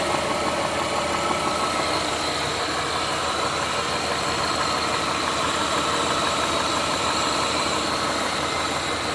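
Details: Chrysler 300M idling with a light, fairly even tapping about three a second riding over it; possible rod knock, cause not pinned down.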